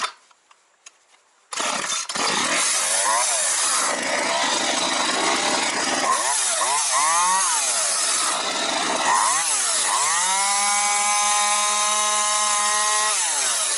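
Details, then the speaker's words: Partner 351 chainsaw, formerly stalling once choke was removed, after carburetor strip-down and mixture screws set two turns and one turn out: starts, revs cleanly several times and holds a steady high scream without bogging, engine running well. "Так, ну, з мотором вроді все працює."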